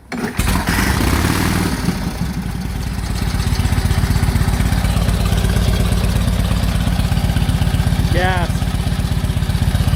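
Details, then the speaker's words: 1946 Indian Chief, after revival from 12-year storage, clutch linkage adjusted: fires on the kick, then settles into an even loping beat about four pulses a second; healthy idle. "So I'm gonna have Dad crank it up for you so you guys can see it run again and see how much better it is."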